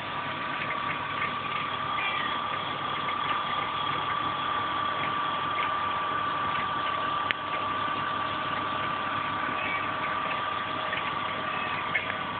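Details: BMW E36 320i at idle with undefined engine noises: quiet idle with a thin steady whine riding high above it and an odd faint tick; abnormal engine noise, cause not pinned down.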